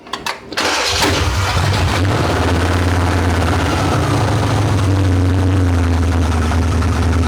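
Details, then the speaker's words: Old Monte Carlo hot rod engine after cylinder head replacement, used Holley carburetor fitted: fires after brief crank, settles into loud, steady, even burble through open headers, no water pump hooked up yet; running good and healthy. "Damn! She running good. That sounds really good."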